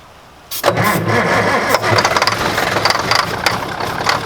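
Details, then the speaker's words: Mack truck, day two of a revival, big borrowed battery: sluggish, uneven cranking with ragged bursts but no sustained running, fading as the battery dies again; slow cranking, no start from a flat battery. "give her a [Applause] spin that battery's dead too"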